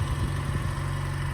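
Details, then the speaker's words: Mazda Miata, after a bad injector caused running on three cylinders, plus new plugs, wires and fuel filter, warmed up: steady, even low idle with no stumble; all four cylinders firing cleanly. "Well, it's just been sitting idling for a bit, and you can even tell, like, instantly. It runs much smoother, and then you give it a good little womp."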